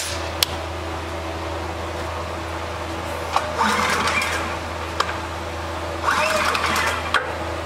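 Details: Honda EB3000c generator running during output voltage checks (readings within spec): even low hum holding steady at constant speed with no surging, misses or knocks; engine running smoothly.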